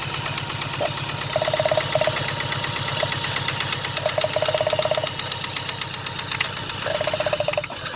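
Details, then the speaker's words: 1995 GSX, first startup after sitting over a year, headers burning off: rapid ticking knock about three per second over lumpy idle with faint whistle, from back corner; owner suspects rod knock, unconfirmed. "Looks like that's just burning off the headers. But the knot sounds like it's coming right back here. Back in the corner. Now from that, what I've heard of that sound, usually people that when it's consistent is rod knock."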